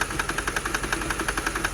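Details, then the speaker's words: 2006/2007 Mercedes CLS 500 just started after a fuel pump issue idles unevenly with sharp stumbling pulses, whole car shaking; bad misfire, cause not yet found. "look at my hand shaking look at everything shaky that's a bad miss part there's something else going on here that's not good"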